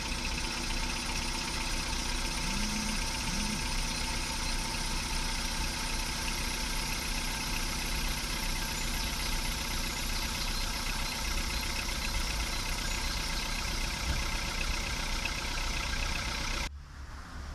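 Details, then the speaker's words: VW Polo Sedan petrol engine on Lukoil Genesis Armortech 5W-40, phone held near the closed hood: smooth, even idle after start with the hydraulic lifter clatter of the first seconds gone, no ticking left. "Сейчас подставлю просто телефон поближе и завожу. Всё, тишина. Больше не брякает."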